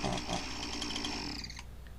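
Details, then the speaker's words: Husqvarna 346XP chainsaw gives a high, racy, lean two-stroke scream that holds, then drops off. It is a big air leak; a carb cleaner spray test shows the leak near the intake boot/base gasket. "and this is a big enough air leak that i got a pretty good idea what's going on"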